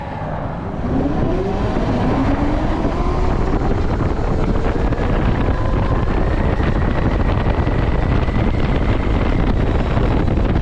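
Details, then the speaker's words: TERRA Prime electric motorcycle in ride mode 2 (city), moderate acceleration, ~55 mph top, from a dead stop: clean motor/controller whine rising with speed over chain whir and wind; normal. "uh quicker acceleration, fast enough to pull you out of turns, and then top speed is around 5560. And even in this uh ride mode, you're quite a bit faster than most vehicles on the road. So, here we go from a dead stop."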